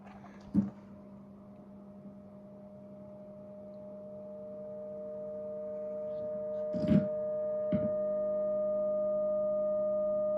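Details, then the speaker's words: Homemade Sustainiac-style guitar sustainer driver amp left on with the guitar unplugged: a steady low tone with higher ringing tones swells slowly over ten seconds as it feeds back on itself and howls. "The cool stuff is that it's hard to leave this on unplugged because it sort of starts howling like the guitar. Even if I plug out the guitar, it's gonna start howling."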